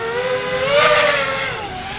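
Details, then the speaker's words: Diatone Tyrant 180 quadcopter on 4-inch props, line-of-sight flight: high motor whine rising and falling with throttle, rough gritty edge; worn motor bearings making funny noises, owner does not recommend these motors. "I haven't flown very many quads with 4-in props but yeah you can hear these motors how bad they are the bearings in them are just making funny noises"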